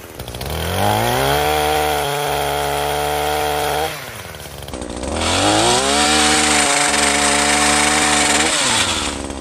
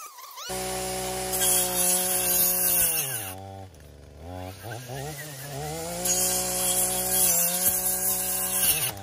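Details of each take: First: Echo PAS-2620 two-stroke multi-tool with pole saw attachment and freshly tightened sharpened chain, cutting branches: revs cleanly, holds a steady high buzz, barely bogging, keeps speed; normal running under load. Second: Echo PAS-2620 multi-tool with pole saw attachment: high two-stroke buzz drops sharply twice as the blade pinches in the cut, then recovers; engine bogging under cutting load.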